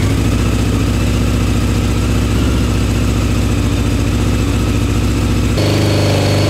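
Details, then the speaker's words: CBR600 four-cylinder carbureted engine in reverse trike after reconnecting fuel line and closing float bowl drains: fairly even idle, note shifting with throttle blips; running cleanly, normal. "let's go finally working only took me all day"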